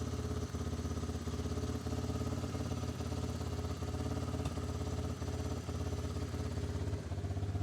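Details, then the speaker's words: 1988 Honda FourTrax TRX300 two-wheel-drive single-cylinder, warmed up, in for a carb clean: idle hunts, rising too high and dipping every second or two, idling down when choked; owner suspects it's getting too much fuel. Oil also leaking, likely base gasket. "now that I got it in here and got it warmed up you can hear what she's doing she's idled up too high and it was idled good before choke it she actually idled down might be getting too much"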